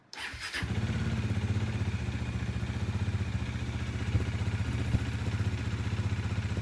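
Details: Bajaj Dominar 400 single after sitting 4-5 months with a fuel pump that would not prime, now priming again: quick crank, catches within a second and settles into an even, steady idle with regular firing pulses.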